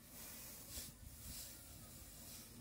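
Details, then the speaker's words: Refrigerator compressor running to self-vacuum the system without a vacuum pump, gauge fitted: steady airy hiss over a low hum as air is pumped out through the outlet. The gauge drops into negative; run about 15 minutes, normal operation. "আমরা metre লাগিয়ে নিয়েছি এবং ভ্যাকামটা হবে এখান দিয়ে, পুরো পুরো পাইপের ভ্যাকাম হবে, এটা দিয়ে বের হয়ে চলে যাবে।"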